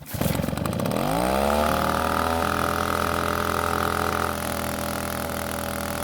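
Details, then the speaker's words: Shindaiwa backpack leaf blower, two-stroke, after repairing a no-start: fires, climbs quickly to a steady high buzz and holds it evenly without stumbling. Normal running. "so it turns out this blower is an absolute monster when it comes to blowing leaves"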